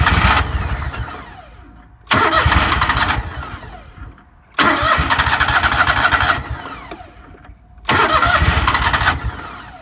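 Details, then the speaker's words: Four-stroke lawnmower being winterized, fuel tank drained and run until it conked out: three roughly two-second cranking bursts, the engine spinning but never catching. No start because the carburetor is empty. "okay so that is one empty carburetor"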